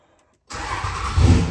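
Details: 3rd-gen Cummins diesel pickup started inside the shop: quiet, then the engine catches almost instantly and settles into a deep steady low rumble; fires right up, normal clean start.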